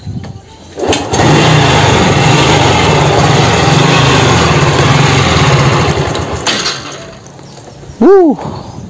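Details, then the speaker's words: Honda Revo Fit fuel-injected motorcycle, before repair: harsh, uneven clattering run that sags and stalls after a few seconds, with the idle air adjuster missing; worn camshaft bearings were later replaced. "mati oke suara kasar terus motore juga mati-matian"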